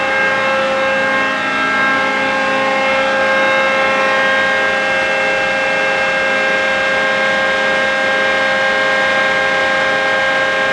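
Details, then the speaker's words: John Deere Green F12 090 hydraulic motor after teardown and reassembly, run without load at high RPM to reproduce a customer's reported squeal; no damage found, backlash 1.5–1.75. Steady, even mid-pitched hum with no squeal or rising note; runs smoothly. "I didn't hear any squeal."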